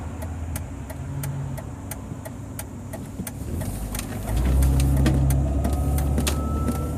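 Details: 2001 Jeep Grand Cherokee WJ 4.0L driving at about 25-30 mph: thin whistle over engine and road rumble, rising in pitch as speed builds; began as chime-like sounds; owner suspects a bad water pump, not confirmed.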